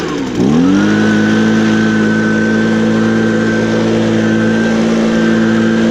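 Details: Echo leaf blower, used recently, started on choke with primes: catches within half a second and settles into a steady, even high-pitched two-stroke drone; normal start and run.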